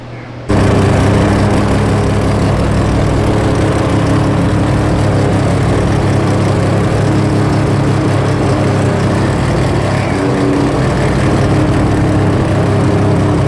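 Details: Three-rotor RX-7 at its first start: engine catches and settles into a steady, even low idle drone with no misses or knocks.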